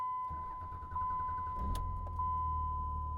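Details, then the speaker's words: Dodge Ram Cummins diesel with 994,376 miles, warm start (not cold): short crank, catches at once and settles into steady even idle over a dash chime, no warning lights; clean, healthy start. "pops right over no warning lights"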